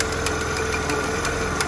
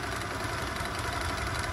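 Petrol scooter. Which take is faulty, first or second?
first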